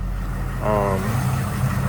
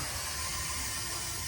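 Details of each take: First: Powerstroke diesel F350 dually long bed, first start after installing SPE Motorsports fuel filtration kit replacing stock filters; smooth even low diesel rumble at steady idle, no knocks, ticks or misses, no leaks or check engine lights; normal idle. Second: Ford F-350 Powerstroke after SPE Motorsports fuel filter kit install, key-on priming after fixing drain valve: steady loud hiss and whir as fuel fills the empty new filters; fuel pump priming noise with air in filters.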